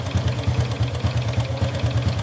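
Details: Honda Wave 125 (owner's swap from a Raider 150) at idle, which the owner suspected had connecting-rod damage. A quick, even tak-tak tapping about ten times a second rides over the idle; the mechanic says it is not the rod; timing chain rattle.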